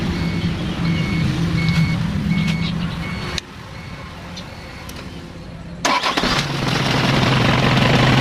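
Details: Isuzu 4HL1 diesel with a crank-only no-start traced to the shut-off valve; cranking with dash chime, pause, then it catches and settles into a steady deep-knocking run; engine starts and runs.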